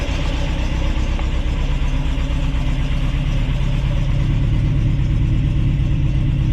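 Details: Ford crossflow race engine in a TVR Vixen, rebuilt with a loaned cylinder head, first start: steady throaty idle smoothing out as revs rise, no ticks, knocks or misses; runs clean and healthy, not yet warmed up.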